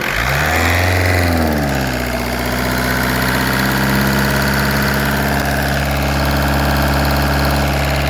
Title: 1.9 TDI BLS ENGINE KNOCKING